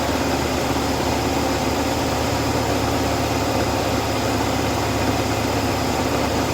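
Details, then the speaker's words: Steady, even idle with a smooth low hum and no hiss or stumble on an Oldsmobile after vacuum leaks were patched; no air heard escaping from the hoses, quieter than before the repair. Normal idle. "that's something quiet that's such a quieter though I don't hear nothing coming out of it none of this area I didn't hear it that hit some sound when she started it"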